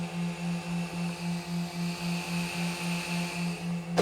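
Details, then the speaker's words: Techmax 9003 LED headlights on a Nissan Skyline R32 GTR, high beams on, engine off: quiet steady hum pulsing three to four times a second from the built-in cooling fans; loud enough to hear inside the car. "So you can definitely hear them running. And really the only disadvantage I'd say about these LED Techmax are the fan on the inside."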